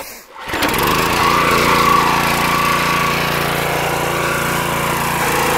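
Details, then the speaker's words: Pressure washer after internal repair of suspected unloader/dump valve fault (previously wouldn't release high pressure on trigger release), restarted: catches quickly, settles into steady, even drone with no surging or knocking; normal running. "yeah it's actually working the way it's supposed to now i don't know if you could see the uh dump valve moving in and out when when i let off the trigger"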